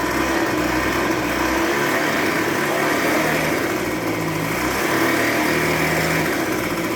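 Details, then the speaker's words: Discarded two-stroke backpack leaf blower, cold, run with no choke after priming: buzzes at a fast, uneven pace without settling, then stalls; owner returns to a little choke and suspects the fuel line may be dry. "okay so with no choke it's stalled but it's cold so let's go back to a little bit of choke"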